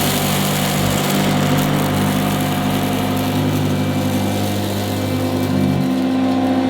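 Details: 1977 Hoover Junior Deluxe upright vacuum: loud, smooth motor whir at steady pitch, no rattles or grinding; owner calls the motor fantastic, the quietest Junior Deluxe/Starlight he's used; normal vacuum motor running.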